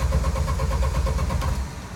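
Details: Jeep YJ smelling of raw fuel with rich exhaust, just stalled after stepping on the gas while driving in second gear; steady starter cranking at about seven beats a second for under two seconds with no catch: turns over but won't restart.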